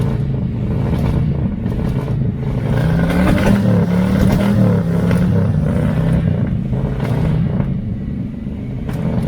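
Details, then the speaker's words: 1982 Chevy El Camino, V8, carburetted, dual pipes, long stored, cold start: lumpy stumbling idle that clears somewhat when blipped; owner suspects the carburetor, possibly timing slightly off. "so i don't know it might be out of time a little bit but i think it's just i think it's more in the carburetor"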